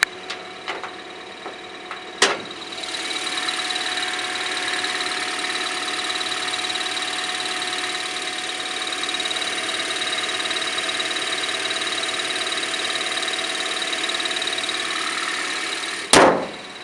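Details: 2010 Toyota Corolla manual in neutral, idling: steady high chirping whine that appears after a click and stops at another, only with the clutch fully released; bad throwout bearing, since replaced.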